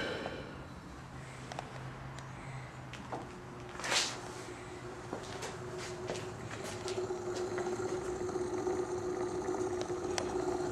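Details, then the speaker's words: Victor Credenza electric induction motor, freshly rebuilt, first power-up with speed regulator turned down, sitting on a cardboard box: quiet, even hum settling into a steady tone, no knocking or grinding; normal running. "sounds nice and quiet of course it's sitting on a cardboard box"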